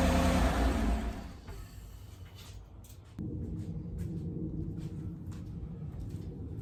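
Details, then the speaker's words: 2018 Chevrolet Silverado 5.3L at idle: a steady, low rough rumble with a dull grinding undertone, sounding like bad bearings. The owner hoped it was only the tensioner pulley. "Okay, I'm pretty sure you could hear that noise. It's an unsettling noise. To me, it sounds like it sounds to me like it are some bearings maybe that are bad."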